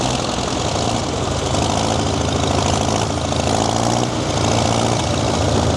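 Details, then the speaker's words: Worn-out diesel tractor engine that breathes heavy and blows oil. It runs on only three cylinders at idle but fine when working. Heavy, lumpy idle stumbling about once a second; dead cylinder. "It runs on only three cylinders if it's idling. If it's working, it runs fine."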